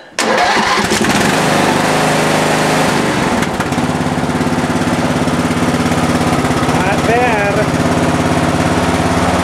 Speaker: you see how easy that that was started right up